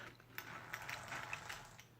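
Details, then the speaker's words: A959B RC car with all-metal gears but the original plastic casing and diff case, gears broken in only by hand-held running. It gives a light, quiet, settled whir with soft ticks. Noise comes from the spur and pinion, diffs inaudible: normal gear mesh. "It's quieting down a lot, and now it seems more settled and not so loud. The main noise purely is coming from the spur and the pinion."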